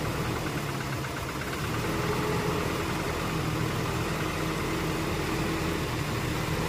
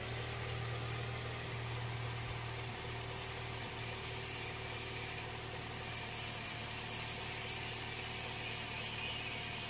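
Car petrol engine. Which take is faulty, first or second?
first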